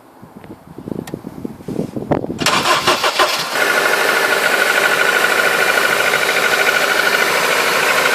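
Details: Honda K20A cold start: cranks and catches, then a loud fast idle with an even ticking knock that fades as the engine warms.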